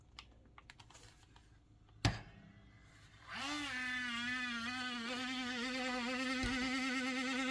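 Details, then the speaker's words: HP 15 laptop (CW1500SA), fan spinning up to a loud, harsh, wavering whine around 250 Hz after a few key taps; noisy failing cooling fan, replaced to fix. "It's got a an issue with a loud fan so I have no idea well apparently it's a fan but this is the noise it's making"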